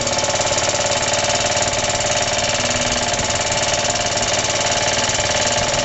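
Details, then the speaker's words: Suffolk engine on its first start after a rebuild: hard, loud knocking about four per second over a rattly run at steady speed. The knock was not there before the rebuild. Compression is good; the cause is suspected to be the clutch or shrouding. "it runs rest assur it never used to make that knocky noise so I don't know what the hell's going on it's definitely fully tight never used to make that noise"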